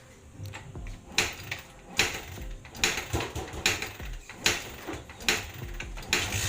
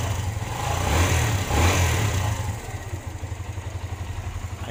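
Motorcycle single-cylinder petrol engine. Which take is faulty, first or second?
first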